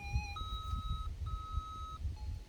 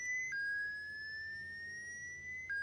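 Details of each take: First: Minelab SDC2300 metal detector at startup, after the EMI button is pressed: clean electronic beeps step through different pitches as it scans frequencies. EMI noise-cancel frequency scan. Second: Minelab SDC2300 metal detector switched on at recommended sensitivity setting 2. Two sets of clean rising electronic tones, each about two seconds, then quiet; normal startup sequence.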